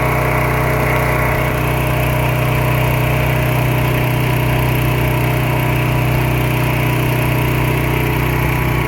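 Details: Pressure washer small engine with white oil (water leaking into the crankcase suspected), pressure increased while running. A steady, even drone under pump load with no misses, surging or knocking; it carries the pressure fine.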